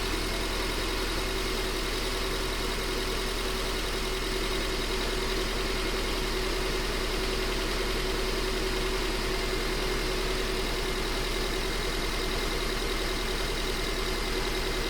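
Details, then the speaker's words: Engine at idle during a cylinder power balance test with one injector unplugged: idle holds a steady, even rhythm with no drop or stumble, so that injector isn't contributing; no idle change with injector unplugged. "No difference on that one."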